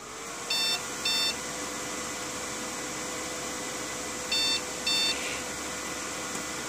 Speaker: you can hear it it's beeping two short beeps so it goes beep beep and then pauses beep beep and then pauses